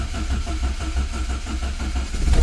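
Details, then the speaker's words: Carburetted 1980s Renault 5, unstarted for two weeks, choke fully out: after cranking to get fuel up it catches and settles into an even low thrum with firm regular pulses, then picks up slightly; normal start once fuel arrives. "There she goes. Just gotta get the fuel up. Because it's carburetted and I haven't started it for 2 weeks, you gotta get the fuel up."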